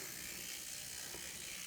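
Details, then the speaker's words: Kato N scale SDP40F locomotive running on track: thin, raspy gear whir; truck sits too close to the worm gear, causing the noise. "basically the truck is sitting too close to the worm gear and that's where i'm getting noise"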